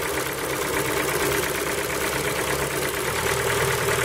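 Cold idle with a light, uneven ticking knock riding over the engine at roughly three a second; source unclear, worth investigating.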